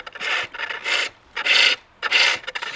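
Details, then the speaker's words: Pole lathe, cutting inside the bowl downhill toward the center: smooth, even rasping strokes without chatter, a sweet clean cut; the sound turns harder and scrapey as the angle changes to flat and uphill. "And that sound is a good indicator as well as looking to when the cut isn't sweet anymore. So if you hear that is quite a sweet cut,"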